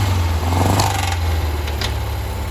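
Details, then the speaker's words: Barn-find Porsche 356/912 air-cooled flat-four, first start in 25+ years, fed by an electric fuel pump with no fan fitted: deep steady rumble settling into an even idle with no smoke. Runs cleanly. "oh my go it runs doesn't even smoke even idles"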